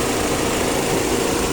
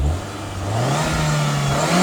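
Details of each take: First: 2003 MG ZT (Rover 75) X-Power grade, Rover K-series 1.8 turbo petrol; radiator fans hard-wired to run constantly, steady roaring air rush drowning a low even idle; slight rumble also mentioned. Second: MG ZT with a Rover K-series 1.8 engine free-revving through a couple of blips over loud hard-wired cooling fans. It climbs cleanly with no misfire or rattle and gives a little pop and bang. Owner notes only a very slight rumble when revving.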